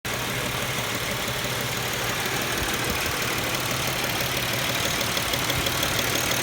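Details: 2007 Pontiac Grand Prix petrol engine at warm idle with a faint, steady knock about three times a second; silent when cold, knock appears once warmed up; cause unknown.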